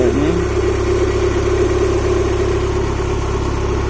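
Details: Honda H22A after ARP head studs and intake setup, restarted despite suspected cam seal oil leak: steady, even idle with smooth low hum, no knocks, ticks or misses; sounds nice and healthy, normal idle.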